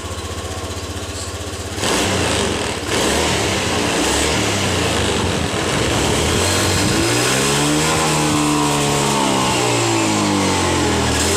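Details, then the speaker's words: Honda BeAT FI scooter: engine pulls, then at wide-open throttle its pitch wavers and surges and loses power instead of climbing cleanly, normal at part throttle; full-throttle stutter from a faulty throttle position (TPS) sensor, fixed by shimming it with a hose. "Oke seperti itu permasalahannya dan permasalahnya ini sebenarnya di sensor TPS nya yang rusak ya"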